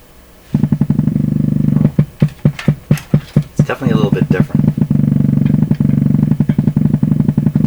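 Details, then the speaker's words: Canadian PYE Model 39HC radio breaking into oscillation at low volume: steady low putt-putt pulsing about 1.5 beats per second, like a bigger engine running, after connecting antenna; motorboating, cause still being hunted. "this sounds sound sounds like a bigger engine running now"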